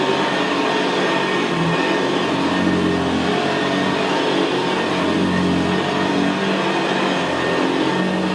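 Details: 1975 Hoover Senior Ranger U4002 vintage upright vacuum on carpet: steady motor rush with a low gravelly brushroll growl, no squeal or knocking, more audible where carpet is squashed down. Normal, healthy running.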